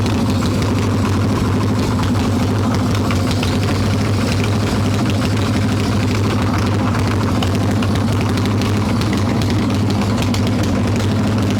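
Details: Harley Evo Softail V-twin, carbureted, warm, choke plate off, loose intake bolts and cracked vacuum cap, mixture screw seated: lumpy, uneven idle with ragged low thump, no clean rhythm; rough idle from intake air leak.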